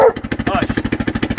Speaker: The muffler separated at the manifold there. Broken. Hear how loud it is. We noticed it started to backfire.